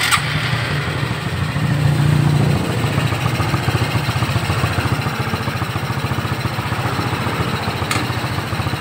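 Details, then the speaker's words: Shogun 125 motorcycle after adding oil, refitting the exhaust and tightening a part that had come loose: the engine settles into a steady, even idle with the earlier heavy rattle gone, quiet even at low revs. "Sebelumnya tidak bisa karena benda itu berguncang hebat, mengeluarkan suara berderak. Oke, bagus. Sekarang suasananya tenang, kan, bahkan pada kecepatan rendah."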